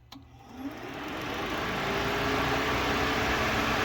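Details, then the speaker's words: Nissan S12 200SX electric radiator fans tested at accessory via the old temperature relay after fitting an S13 aluminum 3-core radiator; a click, then a smooth steady rush with no rattle, even turning the clutch fan; fans work. "There we go. It's even moving the clutch fan. Sweet. Alright, so that all still works."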